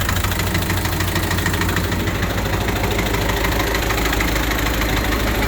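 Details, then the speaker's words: Rusty the Spryte snowcat turbodiesel after fitting new OEM Zexel injectors and copper crush washers, about half an hour of running: even, steady diesel clatter at idle with no stumble, miss or knock. Idling smoothly. "So, but it seems to be running really good. Idle's really nice now."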